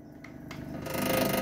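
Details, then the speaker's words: Daikin air conditioner whose compressor would not run, after on-site repair: quiet then steady whirring hum builds smoothly as fan and compressor start; normal start-up. "các bạn thấy Block chạy ngay cong con [âm nhạc] à Rồi Block đã chạy Ok quạt chạy ok rồi"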